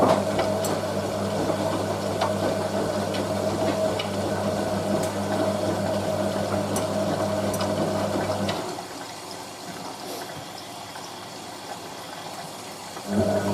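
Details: Hotpoint 9530 Electronic 1000 Plus washer, Programme 4 50°C coloured synthetics, polyester/cotton load, final rinse: steady pump hum with water rushing in for several seconds, then dropping to quiet trickle; healthy rinse fill.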